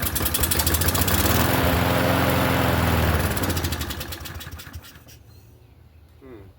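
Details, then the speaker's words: Troy-Bilt push mower engine, free mower with a holed deck: the small single-cylinder pulls over and settles into a slow, lazy beat, then fades; running low because the governor spring is pulled back. "Harbish. It's running low. Oh, the governor spring is pulled back."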